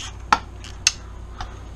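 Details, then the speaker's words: 1996 Suzuki RM250 two-stroke rebuild, bolts drawn up to close the crankcases onto the freezer-chilled crank bearing: two sharp cracks and a softer third; normal bearing seating creak, nothing breaking. "hear that creaking and cracking that's the that's the barring relieving as I work it up that's everything finding seat finding home"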